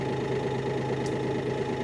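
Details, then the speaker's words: Kioti DK6020 tractor diesel, cold start in northern Vermont, about one minute after starting: even clatter at a steady rate with no misses or knocks, settling into a normal smooth cold idle after initial unusual noises. "First, listen how smooth that's running already. It's only been running for about a minute. And uh yeah, it sounds sounds pretty good."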